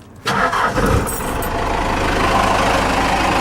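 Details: 4BT Cummins diesel just after turbo replacement, warming up before a test drive; quick crank and catch, then settled even diesel clatter at low idle with no knocks or whistles; healthy, factory-like idle.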